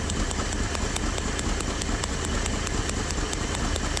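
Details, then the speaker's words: Old Dodge W300 Club Cab with random misfire: spark tester on each plug wire snaps steadily about twice a second over rough idle, never missing; spark reaches plug wire ends, leaving plugs or internal fault suspected. "never missed a beat alrighty now we can say that we are getting sparked to the end of the sparking plug wire"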